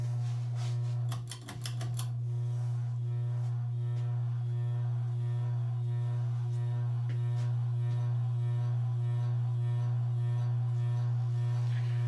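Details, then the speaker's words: Evergo 4E-6EALW 52-inch hugger ceiling fan, circa 1985, cast iron 3-speed reversible motor, running updraft: constant deep motor hum above faint bearing noise; likely caused by rotted-away rubber bushings. "now like most ever go fans updrafts and actually speeds or updraft speeds are a bit slower than the downdraft speeds traditionally ever go Union thing and unfortunately the motorhome still is rather persistent as well"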